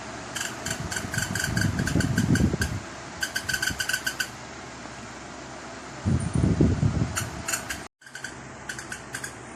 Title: Electric fan making weird noises